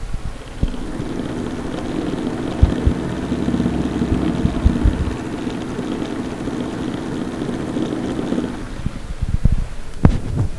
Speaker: this is where my [ __ ] laptop sounds like right now this is the fan I can hear from here